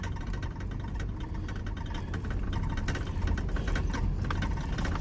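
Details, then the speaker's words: Pickup test drive after front hub replacement: steady low engine and road rumble with scattered light rattles, no squeaks from the front end apart from a little brake squeak and something in the door; hub sounds healthy. "No squeaks, other than, I don't know, something in the door here. A little brake squeakage."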